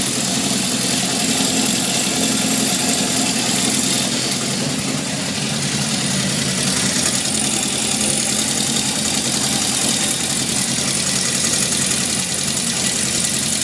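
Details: 1978 Honda CB750F, metal shavings in oil pan, low oil pressure at warm idle until engine shut off; busy, harsh metallic rattle over idle since; owner suspects crankshaft bearings, unconfirmed; engine rattle at idle.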